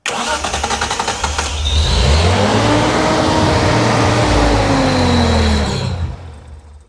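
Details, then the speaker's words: Restored 1971 Datsun 240Z cranks, catches and revs briefly, then sags and fades out within seconds, dying as if out of fuel, and the line to the tank was then bypassed. "Why did it just die? And then as soon as we start it, that fluid level will go that way down. It'll run a while, and then it'll just die like it's out of fuel."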